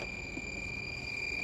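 A steady, unbroken high beep from the meter across the two terminals: the key switch closes properly in the on position.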